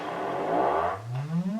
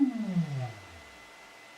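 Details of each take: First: Celestion Ditton 25 T1600 woofer, stored 28 years, played an audio sweep: a rough, scratchy grating appears as the spider is pushed off-centre either way, which is voice coil rub, silent once centred. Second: Celestion Ditton 25 T1600 woofer, stored 28 years and previously scratchy, on an audio sweep with the spider held centred by hand: clean tone up and down with no grating; voice coil moves freely.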